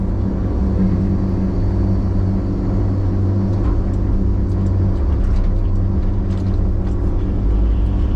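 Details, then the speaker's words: Forestry loader after a fire, recently back in service and not wanting to pull: deep, steady growling drone with a low hum that can be felt, like a rotating bearing; something growling, source unconfirmed. "I got something growling on this thing here. I'm not sure what it is. Something is growling on this dude."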